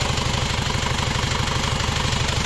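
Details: Isuzu Panther double-cabin diesel idling after overhaul with new bearings, after replacing the leaking copper nozzle (injector) sealing ring that had caused a hissing "ces ces" leak; even, steady clatter, no hiss or knock, smooth healthy idle.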